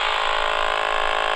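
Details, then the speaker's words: AM radio held near the Flymo 1200R robot mower boundary wire at the base station gives a loud, unbroken raspy buzz; signal strongest at the source while tracing a cable break cut by contractors. "so it's very strong here because that's the source electricity"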